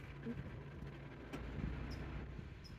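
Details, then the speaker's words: 2006 Honda Civic with the A/C intermittently on and off, heard after swapping relays, with the engine restarted and A/C on: quiet idle with one crisp click as the compressor clutch pulls in and the pulley turns; relay good, normal engagement. "now it's engaged see that means the relay is good that's where the click sound is from"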